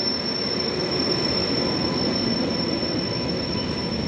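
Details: Ajni WAP7 locomotive hauling Toofan Duronto, continuous squeaking: steady, piercing high squeal holding unchanged over the rumble of the passing train; wheel squeal, cause unknown.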